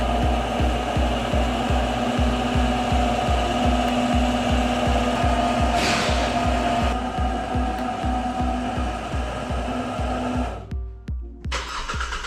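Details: Hyundai Creta/ix25 during a rattling-exhaust diagnosis and repair: steady even idle with a smooth low pulse and no metallic buzz or rattle from the exhaust, music behind. Normal idle, no exhaust rattle heard.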